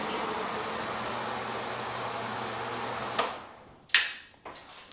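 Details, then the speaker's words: Replacement bathroom exhaust fan, fitted after the old motor's bearings failed from moisture and dust, runs with a soft even whoosh and faint hum, nice and quiet, then switches off. "simply plug that back in and we'll give it a test there you go nice and quiet"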